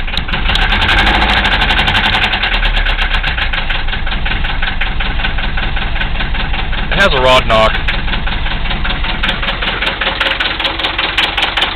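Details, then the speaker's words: 1974 Mercedes diesel, glow plugs not working, rough cold idle after starting: steady heavy knock two to three times a second through the clatter, a rod knock from a worn rod bearing. "it started with no G plugs it's pretty amazing oh this Smo there you have it 1974 Mercedes with a rod knock still running"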